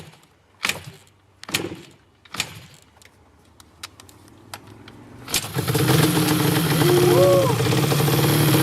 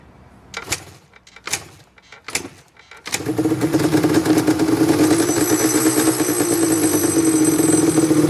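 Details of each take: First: Yamaha Banshee two-stroke twin (dual-carb, dual-head), barn find unrun for 7 years, new CDI, both plugs sparking: a few slow kicks, then it fires on starter fluid, revs raggedly and shuts off; owner suspects old oily fuel in the lines plugged the carburetor again. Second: Yamaha Banshee two-stroke that sat for 7 years, after cleaning the carburetors and fuel line (it used to run, die and leak fuel), kicks three times, then catches and runs steadily and crisply.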